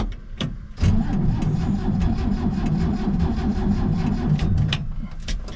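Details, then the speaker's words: 1967 C10 pickup being revived after a storm-felled pine tree hit its carport, with gas in the tank. The starter churns with stumbling pops that briefly catch, then fade. It partially fires but won't run, and the owner suspects it didn't like the choke. "Oh, that sounded like it was doing something. Oh yeah. We're close. Didn't like the choke, maybe."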